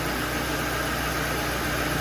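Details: Lincoln Town Car V8 after replacing the cylinder 6 coil pack for a misfire: smooth steady low idle with even beat, no stumble or skip; all cylinders firing cleanly.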